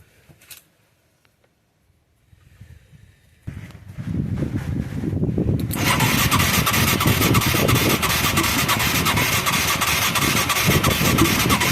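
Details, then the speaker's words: Mid-1980s Yamaha YFM200 Moto-4 quad, long dormant, with a rusty plug and weak spark; quiet cranking builds to a rough, uneven churn that never catches. No fuel is reaching the carburetor bowl; weak spark could be the coil or rectifier. "we're not getting no fuel I wish we could squirt gas up in there need a spray bottle"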